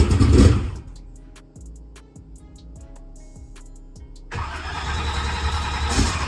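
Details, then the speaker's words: Drag race car, cold, with newly installed Powermaster Ultra High Speed starter: starter whirs and cranks in a steady, slightly sluggish rhythm before catching; seems slightly faster and draws less amperage than before; owner suspects a bad battery; slow cranking. "a little bit it actually did feel like it tried to crank a little bit faster so maybe maybe it wasn't a bad thing maybe a starter it's definitely it's not pulling the amperage that it was"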